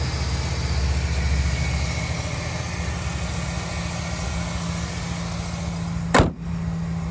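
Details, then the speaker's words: 2008 Chevrolet Silverado 1500 LT, 5.3 V8, 253k miles, just started: steady, even low rumble with no knocks, misses or hunting. Smooth, quiet normal idle. "Engine is very smooth, fires right up, nice and quiet, very powerful."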